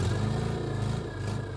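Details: Metro 1275 A+ manual engine swapped into a classic Mini, first start with choke and accelerator not yet connected; oil pressure light goes out instantly. Loud, raspy unsilenced exhaust blips up and settles, firing crisp and even with no misses or knocks; healthy.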